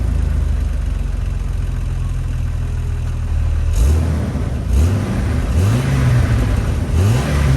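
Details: Car right after the owner's first engine swap, heard from the cabin: the engine fires and idles smoothly, then revs cleanly up and down several times with no knocks or rattles. No dash warning lights; sounds healthy.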